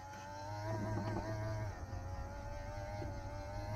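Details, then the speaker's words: 1985 Pontiac Fiero GT V6, key on, engine off, heater controls turned to vent after mouse-nest ductwork cleaning: steady blower hum with wavering, straining whir as the blend door actuator struggles to reach position, then settles. "that door struggles to get itself at its right position but there it goes"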